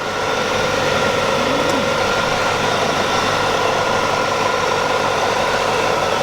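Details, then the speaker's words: 1996 Chevrolet Corvette C4 coupe, 5.7-liter V8, about 64K miles, running with the hood open: smooth, steady idle with an even, quiet note and no ticking or knocking; a normal, healthy idle. "there's that beautiful beast of an engine running good sounds good nice and"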